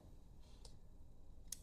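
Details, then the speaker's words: Opened limit switch with four terminals operated by hand: two crisp snap-action clicks as normally closed contacts open and normally open contacts close, normal switching. "the moment you hear the clicking sound, it means that the normally close has turned to open and the open has turned to close."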